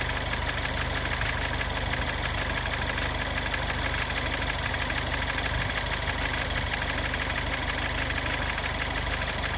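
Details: Ford Fiesta ST, 2015 (15 plate), 300 miles, warm idle after a 5-minute drive: steady idle with a faint regular tick about twice a second; source of the noise not identified.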